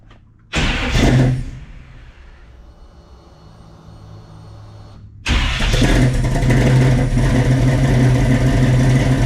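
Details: 1967 Chevy Nova with a freshly swapped 350 V8 (Blueprint Engines heads, Offenhauser Port-O-Sonic intake, Trick Flow cam), heard from the exhaust: starter catches, quick rev, then a deep loping idle with steady cam burble; runs fine.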